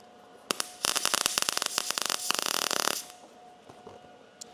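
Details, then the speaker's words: MIG welding 18-gauge sheet metal practice piece after raising heat setting: about two and a half seconds of fast, even crackle over a faint machine hum, much better but still popping a little; voltage then raised to 19. "That see how much better that sounded? Much better. Still popping a little bit."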